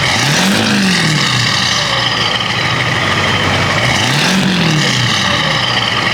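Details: 1994-1998 7.3L Powerstroke diesel after installing 175cc/30% performance injectors, Hydra chip and tuning, fresh oil and fuel filter: strong steady idle with smooth even clatter and two brief throttle blips; normal, healthy diesel idle.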